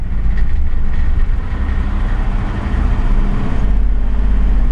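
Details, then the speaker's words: 2006 CVPI, nearly empty fuel tank: low, lumpy idle with a jittering shake that smooths out somewhat when revved; exhaust smells bad; rough idle, cause not yet pinned down. "when i rev it it actually seems to smooth out some it really does but it's got that jittering shake and idle"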